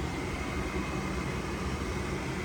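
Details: Furnace with the thermostat bypassed by jumping W to R and no error code showing; the draft inducer motor spins up with a steady, even rushing hum and no knocks, running normally before the pressure switch and igniter engage.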